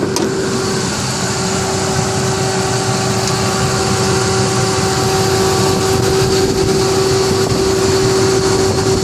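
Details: 1998 Ford Expedition: a steady mid-pitched hum, constant in pitch, rides over the idling engine; also heard while driving, cause unknown.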